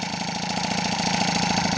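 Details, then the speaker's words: Rebuilt 70cc Transval T3/T5 moped two-stroke engine after about 10 minutes break-in on the stand: crisp idle holding steady with no rising or sagging revs, so no air leak; cylinder head nuts retightened afterward. "bon voilà là j'ai laissé roder bien 10 minutes sur la béquille tranquillement moteur il est stable il y a pas de descend de régime monté de régime voilà donc ça veut dire il y a pas de prise d'air donc on est ok"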